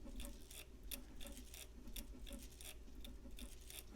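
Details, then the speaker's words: Copal model 701 flip clock bought non-working: faint uneven clicking about three times a second from the small motor, stiff rather than free-running; suspected worn gear in the motor gearbox, probably not fixable by oiling alone. "oh it's more than just stiff there may be some gearbox situations here so we'll have to look at a little more I have a feeling we've got a gearbox issue"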